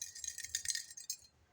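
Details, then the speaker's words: Marvel Schebler TSX-633 carburetor float from a Minneapolis Moline 445, removed during disassembly for cleaning: brief jingly rattle each time the float is shaken, a hole in one pontoon letting fuel inside; leaking float. "well that's less than ideal you guys hear that we got a hole in one of these pontoons that ain't going to work is it"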